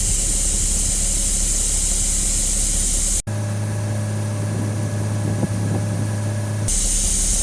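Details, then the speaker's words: Diesel motorhome engine air compressor after air dryer replacement and new, adjusted air governor: steady low drone with air hiss that cuts off and resumes as the tank reaches 120–125 psi and unloads; normal charging. "all right we made it to 120 I can hear the tank hopping off it sounds like yeah we haven't kicked out yet in the back it looks like that's 125"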